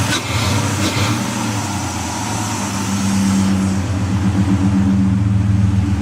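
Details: Ford Escape XLT 3.0L idling in park after fitting a remanufactured MAF, reinstalling the O2 sensor and disconnecting the battery: hum wavers unevenly with a faint light tick; rough idle with ticking, cause unknown.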